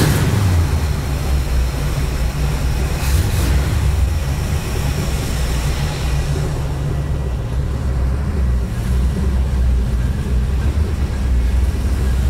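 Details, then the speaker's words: 1954 International Metro first start after build, 50 series Flowmaster mufflers, exhaust cutouts: deep, steady low burble with no ticks, misses or rattles; healthy idle, started quickly and easily. "i'm pretty happy i did not expect it to run that quick that easy it sounds good too sounds really good"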